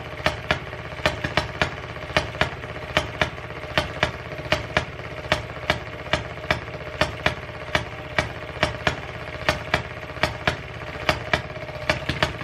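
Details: 1920s Maytag two-stroke hit-and-miss washing machine engine, reportedly rebuilt and unstarted for 5+ years, running after its points were cleaned: sharp pops two or three a second, at first firing every revolution then flipping to hit-and-miss with skipped firings; runs well.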